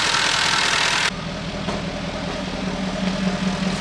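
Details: Jaguar XK idling after a brief hiss: steady, even, smooth low hum with no knocking. Earlier heavy exhaust smoke is now minimal. Some fuel injectors had been replaced so far, with the rest still planned. A later rev reveals a suspected leak noise, possibly behind high short-term fuel trims. Normal idle.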